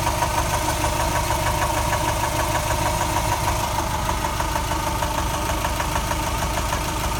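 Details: Subaru 2.5 engine rebuilt from a 2.2: sharp, regular knock about three per second at idle, seemingly from the driver's side, only once warm, a few minutes after restart; it disappears on acceleration and returns at idle. Cause unknown.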